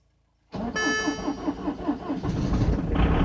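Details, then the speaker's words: Citroën C5 with a dead battery, jump-started on a very cold winter day on summer fuel after earlier failed attempts: slow cranking about three and a half strokes per second, then it catches and settles to a steady idle, no smoke; normal cold start. "Oh yeah, we have a liftoff. Houston, no problems. So yeah, summer fuel works at winter."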